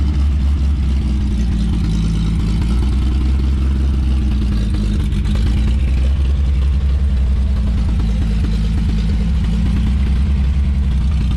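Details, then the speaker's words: 1954 Chevrolet 3100 six, rebuilt then stored ~15–17 years in a chicken coop; timing slightly out, vacuum advance turns distributor: low, lumpy running, beats stumbling and dropping out as it hunts, missing hard; owner says it needs a carburettor. "hitting and missing hard. She really needs that carb."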